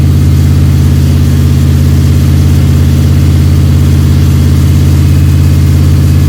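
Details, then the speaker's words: Freshly rebuilt Ford 302 Cleveland V8 with Holley Sniper and new electronic distributor, after about 20 minutes of cam break-in running with occasional revving: smooth even low idle, steady beat, no knocks or ticks; constant idle, sounds sweet. "Been going for 20 minutes now, and it's constant idle."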